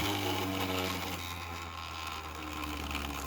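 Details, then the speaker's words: 3D printed maglev with large neodymium magnets, about 11.7 V supply, at full speed: fast whirring hum with faint buzzy rattle; vibration noise at high speed, suspected from the printed housing making the rotor off balance. "yeah it's gotta be from the way i built the housing itself and this thing is off balance a little bit i mean it looks like it's spinning fine but it's definitely off balance"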